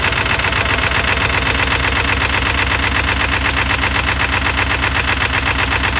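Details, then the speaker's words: 20-year-old Ford 7.3L Powerstroke diesel just after assisted cold start near -30°F after a week of -40 to -50°F: heavy, even clatter about four beats a second at low idle, expected to rise once warm; exhaust leak noted. "and the truck is gonna idle real low in a while it's gonna idle up when it gets warm enough"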